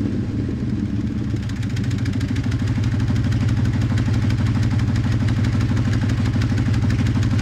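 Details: 1997 Dodge Ram 1500 at idle with no check engine light: steady idle with an uneven, lumpy thump about two a second and occasional dropped beats; a bad misfire, cause not pinned down.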